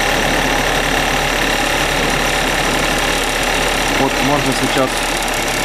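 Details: Suzuki Address 110 scooter on the stand: light, fast metallic ticking over the idle, appearing about 10 seconds after starting and when warm; crankshaft 11,373 km, piston kit 6,392 km; owner suspects piston or piston pin, not confirmed.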